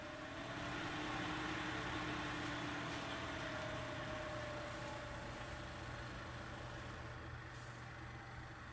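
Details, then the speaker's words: Chinese diesel air heater that would not ignite, tested with the cover off. The fan whirs up from rest with a smooth, climbing, steady tone and no scraping or rubbing, spinning freely: normal fan spin-up. "so I'm going to yell up to my wife to turn this guy on hey baby ready all right going uh turn it on let's see what happens start spinning that's positive"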